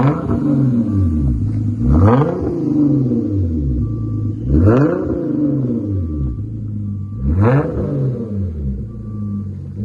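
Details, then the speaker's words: 2013 Hyundai Genesis Coupe 3.8L, rear muffler removed, split Y-pipe axle-back, factory resonator and cats, 3.5-inch tips: three clean revs settling to steady idle; slight backfire when exhaust cold, smooths out warm; healthy rumble. "Definitely got the Fast and Furious sound to it. Sounds pretty good. Should be what the customer's looking for."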